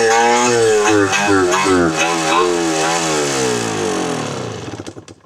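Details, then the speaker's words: Barn-find Yamaha IT 250 two-stroke during restoration, carb and gas tank still need work; crisp revs rising and falling, snappy throttle response, clean crackle before dying down, healthy; normal revving. "But I am extremely pleased. And I know my customer will be extremely pleased. That sounds healthy. That's a healthy sounding bike."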